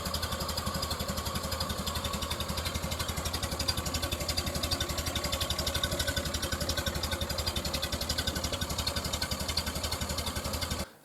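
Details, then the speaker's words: 1930 Model A Ford running after its reproduction muffler was rebuilt with new innards toward stock specification: even, soft thumping pulses, dampened like through wool, with the high-pitched ringing gone; much quieter outside, normal running. "in summary we've got a significant decrease in outside noise from this thing it's incredible really it sounds a lot more dampened like through a piece of wool or something the high pitch ringing is gone completely"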